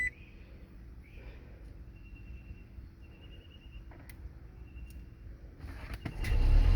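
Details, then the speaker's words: 2nd-gen Toyota Prius after 12V battery replacement fixed a no-start (car wouldn't sense key, relays click before start): quiet cabin with soft chimes, then engine catches and runs evenly, a clean healthy start. "there we go start up running good"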